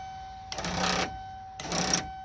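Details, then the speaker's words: 2000 Ford van, aftermarket universal power window conversion kit, key on, switch pressed: two short bursts of whirring buzz with no load change or thunk; motor spins freely, plastic gear suspected stripped. "Alright, so I'm going to turn the key on. And what I'm going to do is, let's see what it does. It sounds like it's stripped."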